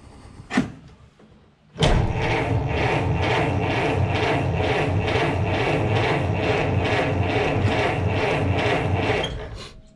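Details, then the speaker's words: Ford Model T, cold start with choke pulled, pedal pressed, parking brake on: brisk, even cranking pulses about three per second, no start yet; starter now cranks better than before, when slow cranking meant hand-cranking first; normal cranking while priming. "so as you may remember before i would crank it over by hand several times because i was concerned that the battery couldn't crank it over long enough because it cranked so slow but now it's cracking a little bit better"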